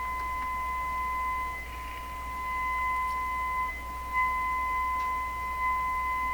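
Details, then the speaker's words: DeForest 10DA517 AM radio speaker after soaking the paper cone to cure a suspected voice coil rub. A 1,500 test tone plays pure and steady with only a faint low hum, no buzz or rattle. Clean tone. "has a nice tone to it I think"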